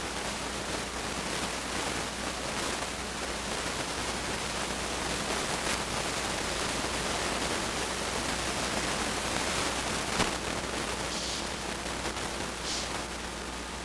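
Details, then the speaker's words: Temperature-controlled fan on a homebuilt electronic load's large copper heatsink, with the load drawing about 41–43 W: steady, even airy whoosh with no ticking or rubbing as the fan slowly ramps up and the heatsink warms; normal cooling fan running. "still drawing about 43 watts fan slowly starting to come up a tiny little bit of heat coming out back"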